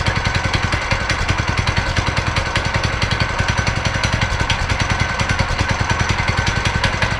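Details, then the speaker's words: Go-kart single-cylinder engine running right after a torque converter and belt were installed, seat off before test drive: fast, even putter at steady speed with no misses, slipping or grinding; engine and drive working normally. "Alright, so it works, and the next thing that I gotta do is put the seat back on before I go out for a test drive."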